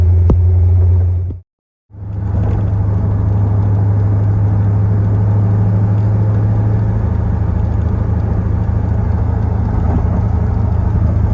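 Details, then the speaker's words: Fuel-injected Corvette after a test drive: deep steady idle rumble with a mild rhythmic lope, shaking a bit too much, cause unclear. "so here we are idling away i think it's shaking a little bit too much other than that it seems fine"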